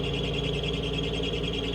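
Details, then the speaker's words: Steady high squeal over a constant drone from a nearby running reefer unit, never letting up; a slipping belt squealing. "see there's that [ __ ] belt squealing I was bitching about earlier see I'm going to have to hear that [ __ ] [ __ ] all night"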